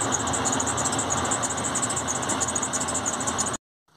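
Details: GM Workhorse American RV parking brake: after pressure switch replacement, engine idles evenly and the parking brake pump motor buzzes a few seconds then stops as it should, instead of running on and overheating.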